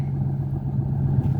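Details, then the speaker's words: 1981 Ford Mustang notchback, 200 inline-six, started still a little cold, with a new 3-inch Magnaflow muffler: deep, steady, low burble with an even beat, nothing rattling or ticking; quiet, healthy idle. "I got a magnl muffler behind it which sounds all right an idle hang on there we go so you can hear it idling right and it sounds all"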